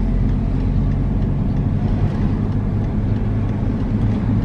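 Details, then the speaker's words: Car driving and turning after removing a small stone from a front wheel brake that caused scraping when turning; now only slight pad drag, no scraping; brakes sound clean, fixed. "bviously there is a slight noise but that's just from the brake pad dragging on the disc but no no nasty noise now"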